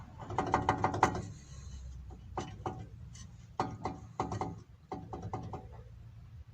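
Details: Renault Logan/Sandero or Lada Largus hub spun by hand with wheel removed; rough uneven clicking and grating with play, worn wheel hub bearing causing suspension knock, needs replacement.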